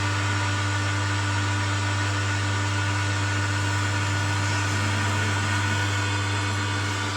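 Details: Home theater subwoofer giving only a steady low electrical hum instead of sound, while the USB board and FM work. Later a burst capacitor, blamed on a high-voltage surge, is found: mains hum from the sub amplifier.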